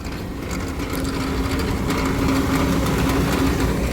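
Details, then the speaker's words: Vent hood exhaust fan with newly replaced motor, running after fix (switch had been wrongly swapped earlier): steady loud whirr with even low hum and faint tone, no grinding or rattle; normal running. "I don't know how well that sounds let's see you hear that thing that sounds better"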